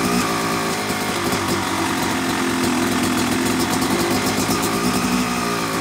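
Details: Yamaha YZ250 two-stroke motocross bike (250cc/270cc) at start-up for break-in after a year-long full engine rebuild of bottom end, transmission, bearings, clutch and power valve, new seals; crisp even burble picking up cleanly on light throttle; normal, healthy.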